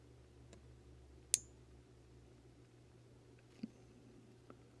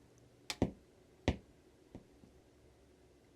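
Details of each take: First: Budget amplifier board (9–24 V DC input, blue LED, rear switch) with speaker connected: one soft click at switch-on, then near silence with only faint low hum and no thump; quiet turn-on, less hiss than the previous board. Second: Budget amplifier board powered on with no signal source; three sharp pops at switch-on and a light pop at switch-off, excessive turn-on thump, with audible hiss from a couple feet away.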